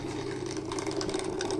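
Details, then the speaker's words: Aquarium external filter water pump, plugged back in after disassembly: a constant mid-pitched hum with a light buzzy rattle. It was reported as very noisy; the motor itself is suspected, not confirmed. "şurada bakın motor var dönüyor ses yapıyor"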